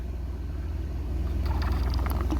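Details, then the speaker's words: Ford Expedition sunroof drain tube, kinked from too-sharp routing, shortened and rejoined with a hose barb for a gentler curve: steady low rumble, then gurgling slurps; previously no flow at all, now drains freely, fixed. "So it didn't flow at all, not even a drop when I started, and now it slurps. So this one is fixed."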